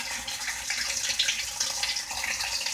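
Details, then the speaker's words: Whirlpool washer with all-lights-on fault, in diagnostic test mode: cold water inlet valve actuated, steady hiss of water rushing in, no chatter or buzzing; inlet valve filling normally. "so obviously we know that cold water valve here let's go ahead and blow advance now we got the hot water valve is actuated so ask about 10 seconds to let that run"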